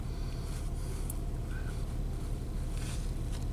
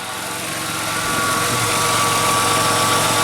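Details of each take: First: 1997 Nissan Maxima V6, warm, idling: low uneven lumpy beat, otherwise running fine. The EGR sensor reading shows EGR flow at idle, so the EGR valve is stuck open; the car also has a long crank time. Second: 1997 Nissan Maxima V6 with a rough idle and long crank time: steady, even idle with a smooth low hum and no exhaust puffing or ticking. Diagnosed as needing a new EGR valve.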